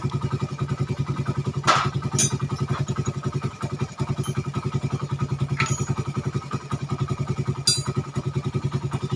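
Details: Suzuki Satria FU 150 cc after the wrongly set cam-chain top timing from another workshop was corrected, which had caused rough idle, harsh sound and weakness. Now a steady, even firing beat at idle with no knocks, misses or rattles. Smooth and healthy.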